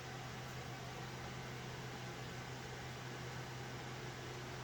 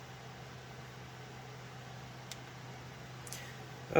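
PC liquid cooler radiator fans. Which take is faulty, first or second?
second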